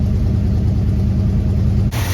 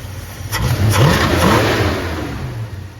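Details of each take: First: 1964 Dodge Dart GT 273 V8 4-speed convertible, carb cleaned with new gaskets and accelerator pump, idles reset and timed, choke not fully closing: deep lumpy uneven idle, fine off idle; vacuum leak suspected, possibly intake gasket, unconfirmed. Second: 1964 Dodge Dart GT convertible V8, carburetor cleaned and regasketed with new accelerator pump, idles reset and timed, but it never idled happily and a vacuum leak at the intake gasket is suspected. Revs cleanly off idle with no misses or knocks, then settles.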